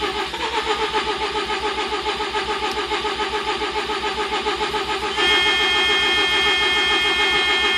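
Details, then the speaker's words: 1987 Mazda RX-7 with rebuilt rotary engine and MegaSquirt 2 v3 after engine replacement, timing set at TDC: starter cranks steadily at about 3.5 beats a second but never fires despite fuel smell; crank no start, cause unconfirmed. "i could smell gas so there's definitely fuel um you can hear it once to start [Music] no i got nothing so what do you think"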